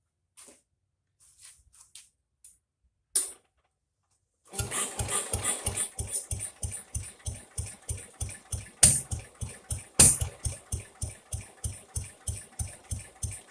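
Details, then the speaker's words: Jacobsen Chief 800 lawn tractor pulled from the weeds after long storage, first start on an old battery with brake cleaner sprayed into the carburetor: uneven popping chuff about three beats a second that lasts longer than expected. Owner suspects it reached dirty old fuel. "Wow! Can you believe that? It actually lasted a lot longer than I anticipated. That's amazing. Probably gotten down to the dirty fuel now."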